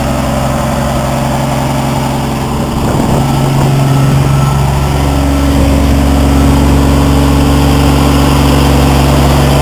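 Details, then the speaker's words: Truck on a cheap restoration, started after muffler work on a metal mount with the pipe not yet added: even, steady low idle with a smooth rumble and no exhaust rasp, much quieter than before; normal idle. "oh yeah I forgot you can obviously hear the difference now it's much more quiet in here now"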